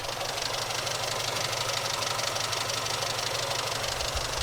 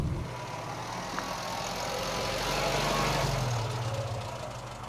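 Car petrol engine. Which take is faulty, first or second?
second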